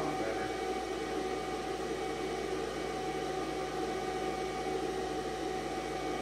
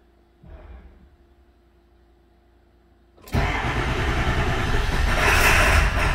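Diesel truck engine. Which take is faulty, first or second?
second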